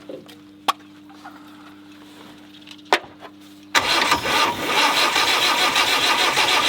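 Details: Normally aspirated diesel in a Land Rover 90, unstarted for eight years, oil put in cylinders: quiet clicks, then after about four seconds catches and settles into loud, steady clatter; starts and keeps running.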